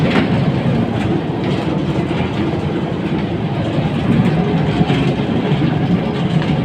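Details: Air handling unit (AHU) blower, drive-end bearing: a loud, rhythmic rattling clatter rides over the blower's rumble, indicating a failing drive-end blower bearing with abnormal sound.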